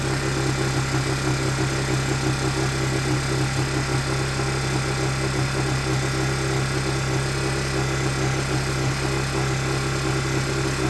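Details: Honda EU1000i inverter generator started without choke after servicing, air filter checked and old fuel dumped: steady, even hum with a smooth low drone, no misses or knocks; normal running.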